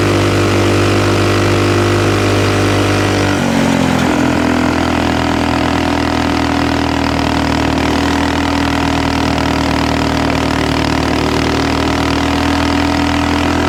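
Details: Axis/Coleman M200 mini bike, 196cc single, tuned 22mm Mikuni carb with needle raised, exhaust, governor delete, flat out at about 31 mph GPS max: flat, steady high-rev drone that won't climb further; owner suspects stock valve springs floating.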